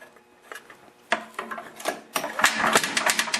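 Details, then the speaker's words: Tecumseh 8 hp engine on a few-years-old Ariens 824E snowblower, spark present, hand-pulled slowly: uneven metallic clacks and rattles, no firing; broken connecting rod, believed from a stuck-open throttle over-revving the engine. "all you can hear is the connecting rod in the engine so it's a nice blower looks almost new it's just a couple years old it's a shame it's blown already"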